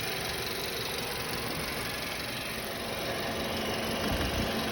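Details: 2016 VW Passat B7 1.8 TSI four-cylinder idling: uneven ticking rattle at about four per second over a steady hum, from the passenger side; source unclear.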